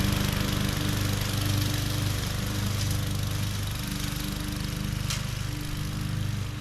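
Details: MTD 20-inch mower with Briggs and Stratton engine, previously hydrolocked with oil, test run after repair: smooth, steady single-cylinder beat with even, unchanging pitch and no surging or misses; running healthy.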